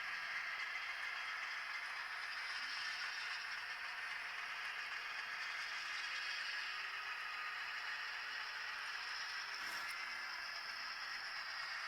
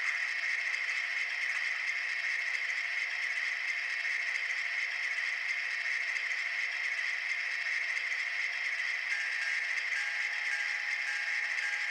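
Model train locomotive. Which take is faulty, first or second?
second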